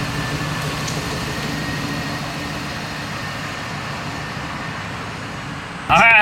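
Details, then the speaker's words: Ford Mustang with a replacement engine and ProCharger, first start after priming oil pressure: even, steady idle with no knocks, misses or rattles; runs better than before. "Oh, that even runs better than before. It's kind of anticlimactic."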